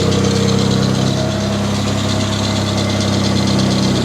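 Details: Mitsubishi Diamante at 230K miles idling after tune-up, resealed valve covers and a replaced broken hose, carb cleaner burning off the exhaust: steady, even low idle with no knocks or misses, running healthy.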